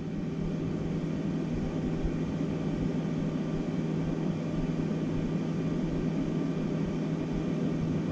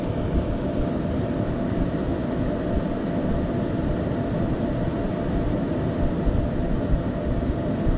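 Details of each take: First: Flashforge Dreamer (NX) 3D printer after replacing both stock 80x80x15 mm 24 VDC rear fans with quieter ones: even airy whoosh, soft steady hum, no rattle or bearing whine; about 66 dB versus 82 dB before, baseline 44 dB. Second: Flashforge Dreamer (NX) 3D printer, two thin 80x80x15 mm 24VDC rear exhaust fans at full speed: steady loud roar of rushing air with faint mid hum, about 82 dB versus 42 dB with fans off.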